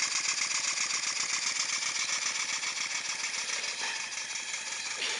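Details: Stuart No1 model steam engine built from castings, first run on steam, exhaust venting to atmosphere rather than up the chimney: quick, even hissing exhaust beats about four a second with no knocks. It runs freely and well.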